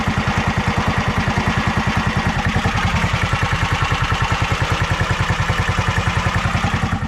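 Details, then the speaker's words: Predator 459 golf cart engine, stock 260 jet: slow even thumping about three and a half beats a second, healthy low steady idle; belt not spinning at idle, shifts in and out of gear easily. "So as you can see, the belt's not spinning, and I can put it in and out of gear very easily."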